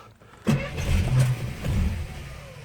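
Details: 53-year-old Slant Six at 12°F: cranking catches with rough stumbling roar and pops, struggling to clear; flooded from choke coil that sometimes hangs up, keeping choke closed; flooded hard start.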